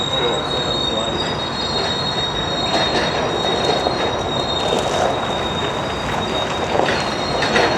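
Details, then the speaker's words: Freight car rolling through Denver North yard on a cold snowy morning; steady piercing high squeal over the rolling rumble as it passes; wheel squeal, observers suspect a dragging brake on the last car, unconfirmed. "A little bit squeaky. Yeah. Probably a dragging brake on that last car."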